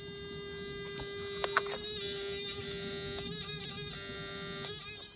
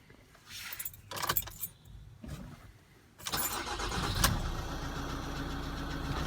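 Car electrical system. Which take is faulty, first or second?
first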